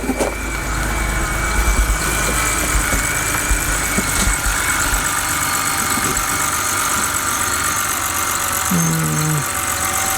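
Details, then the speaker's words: BMW N52 engine after swapping injectors to cure a misfire and erasing the codes: even, steady idle with no stumble or misfire rhythm and a faint belt chirp; no longer shaky. "okay seems like it's no longer shaky just a tad"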